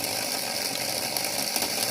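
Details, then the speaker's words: Hornby OO Flying Scotsman model locomotive, motor serviced, correctly seated on the rolling road; fast, even high-pitched gear whirr with no stutters or dropouts, connections fine; normal running. "it runs fine on the rolling road when connected. So there's no issue with any of the connections at all here."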